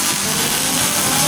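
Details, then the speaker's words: MIG welding the exo cage and front bars on a Nissan Patrol MWB build, welder set to 8, running hot: steady, even sizzling crackle with no sputtering or popping, a normal stable arc. "hear that baby crook? Hear that setting? 5.5. Got her on 8. We're running hot, but hot is good."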